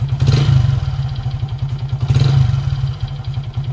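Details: Hero HF Deluxe single-cylinder motorcycle, throttle blipped twice: dull rapid tak-tak clatter riding the low thump, swelling with revs, indicating piston slap.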